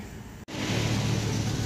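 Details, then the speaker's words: 1999 Volvo turbo (described as E70/S70, fitted with an S80 engine), crank-no-start traced to an immobilizer-connected part repaired: after a brief dropout the engine catches and settles into a steady even hum; runs normally. "umandar na. Yung pinuntahan ko kagabi, guys, umandar na."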